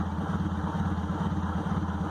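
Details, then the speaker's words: 1998 Honda Accord: lumpy low throb wavering several times a second, never steady; slight throttle holds 2,000–3,000 rpm, idle drops back on release; codes run, fluids fine — rough idle, cause unclear. "the gas pedal down just a hair, it'll run between 2,000 and 3,000 RPM, and when I let off of it, it'll the idle will drop back down."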